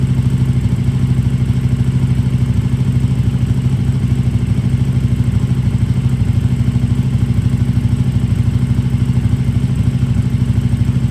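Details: KTM RC8R with a swapped 2020+ third-gen 1290 Super Duke engine and electronics, first start after the swap: steady, even low thump around three beats a second, no knocks or misses; normal smooth twin idle.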